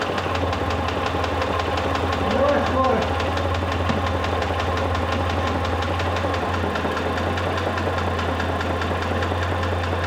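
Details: Mitsubishi Pajero III with 3.5 L 6G74 GDI engine at idle: sharp even ticking about three times a second over a steady idle, a knock from inside the engine.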